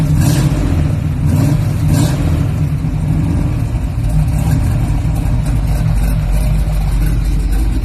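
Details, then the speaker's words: 1978 Chevy Malibu G-body, 350 V8 with 5-speed swap, Summit G-body exhaust kit and 2-chamber Flowmaster-knockoff mufflers, started cold with no choke: a lumpy, uneven burble with revs sagging after blips as it wants to die out. "Ain't got a choke on it, so it wants to die out, but that's"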